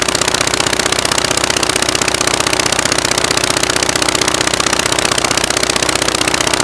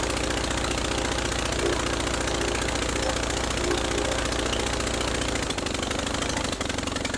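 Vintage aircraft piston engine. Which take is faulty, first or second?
first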